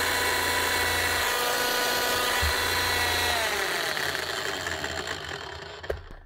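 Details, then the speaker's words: Bosch GSH11E demolition hammer damaged by earlier wrong assembly, test run after reassembly; loud buzzing motor whine with a coarse uneven rattle, then it runs down; damaged armature and crank need replacing: rough running. "here we go yeah it doesn't sound great definitely"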